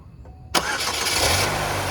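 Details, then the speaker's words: 2002 Pontiac Grand Am SE 2.2 started right after an oil change: quick crank catches at once and settles into a smooth, steady idle with no ticking or rattle, sounding much better than before; engine healthy. "Oh, that sounds a lot better than it did. Let that sit and run for a minute."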